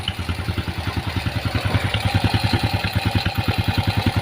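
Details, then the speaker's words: Honda Grand single-cylinder motorcycle after engine teardown and replacement of parts causing rough engine noise: even, steady idle thump about three and a half beats per second, no clatter or misses; clean normal idle. "ini sesuai dengan yang diharapkan ya teman-teman ya jadi bersih suaranya"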